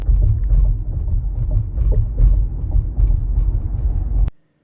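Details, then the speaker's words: Tesla Model Y driving over rough pavement: quick irregular plastic ticks over low road rumble, a rattle from the triple camera/rear-view mirror housing that returned after front windshield replacement. "as you can hear there is a Ral noise from a Tesla Moto white triple camera area I had this issue before they fixed it but recently I replaced my front windshield this problem came back"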